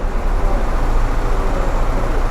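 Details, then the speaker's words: Bentley Arnage T that sat about two years in desert sun, now restarted: deep idle rumble with an uneven stumbling beat and occasional dropped pulse; misfire at idle, injectors suspected but not confirmed. "because we had a misfire we wanted to get that sorted out so let's spin around and have a look at the car"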